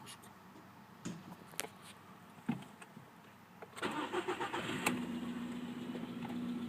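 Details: VW Polo sedan, morning cold start; modified ET pistons fitted under 9000 km earlier, oil changed 5000 km ago. The engine cranks and catches into a cold idle with a faint irregular tapping underneath. Knock present, cause unclear.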